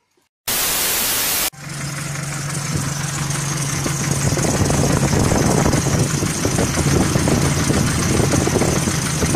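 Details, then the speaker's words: GAZelle van, ZMZ 405 petrol engine suddenly knocking at idle: hard, uneven metallic knock; hydraulic lifters checked under valve cover and found fine; foreign object fragment in cylinder hitting the piston. "в общем вчера у меня вечером на Газели ЗМЗ 405 Застучал движок хочу вам показать как оно это выглядит"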